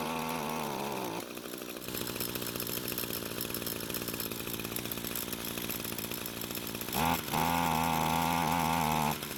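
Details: Echo string trimmer long unused, possibly stored in a barn, running with choke at half; engine buzzes, sags and recovers without settling, half choke didn't help.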